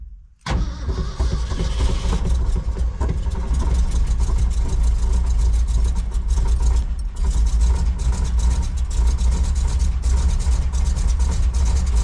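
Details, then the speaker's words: 1966 Ford F-250 factory 4x4 that sat 17 years, first start: catches after a short crank and settles into a steady, even low rumble running on its own; runs, though one cylinder is known low on compression. "all right we're going to call it quits on that note it is a runner I can't believe it"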